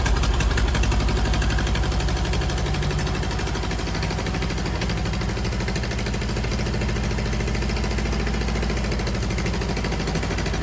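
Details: Ford Model AA doodlebug with new carburetor, water added, no alternator fitted, testing clutch and transmission: low uneven chugging idle with loose irregular beat, then it quits; owner suspects it ran out of gas from the small tank.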